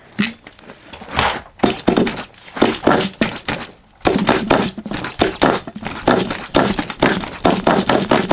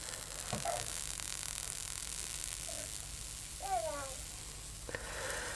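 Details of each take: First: HPI Savage 21 nitro RC truck, revived after being drowned, throttle open: irregular pops and cranking knocks, then it catches into a steady high buzz whose pitch swings with throttle. Normal running. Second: Drowned HPI Savage 21 nitro RC truck, glow starter on its original glow plug: a soft crackling sizzle with sharp hisses as water boils off the heated wet plug; the plug still works.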